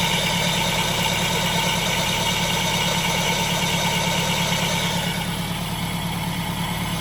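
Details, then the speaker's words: Toyota MR2 Spyder at idle with a constant hissing, rasping whir, almost like a vacuum leak, from a heavy bypass pulley whose bearing has failed; the pulley was replaced along with the belt. "So let's listen to the sound it makes. It almost sounds like a vacuum leak, but that's it right there."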